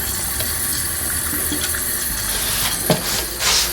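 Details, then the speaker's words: Running toilet before repair: worn fill valve overfills the tank near the overflow tube top, water dripping out; extremely loud, later replaced with Fluidmaster 400A. Constant whistling hiss of water running that never shuts off: running toilet from worn fill valve. "Okay y'all, I got a running toilet. Kind of whistling and whistling."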